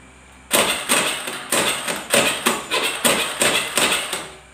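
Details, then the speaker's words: Carbureted Honda Beat, key on, electric starter pressed: about eight sharp clicks, roughly two a second, with no cranking; weak relay inside the CDI. "nah seperti itu ya bunyinya dia cetak-cetak cetak cetak tidak bisa langsung ya"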